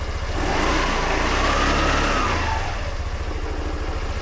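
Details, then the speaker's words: Bike, not fully reassembled: engine picks up cleanly on throttle and settles back to smooth idle; a slight rattle is blamed on the plastics. "Not a kickstarter fight, but apart from that, there's a little rattle, but it's the plastics."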